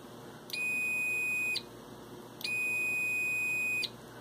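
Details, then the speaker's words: Reed switch on a continuity tester: a magnet passed by the normally open, hermetically sealed contacts pulls them together, giving two steady high beeps about a second long each, showing a complete circuit and a working switch. "you can hear the beeping sound indicating that the two contacts have been pulled together they close to make a complete circuit"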